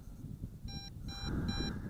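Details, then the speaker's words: MJX Bugs 2W FPV GPS drone controller sounding short evenly spaced low-battery warning beeps with two battery bars still left; the drone did not return to home on its own, a signal to land. "it does warn you it gives you plenty of warning hear that beeping I still got two bars of battery so you get plenty of warning"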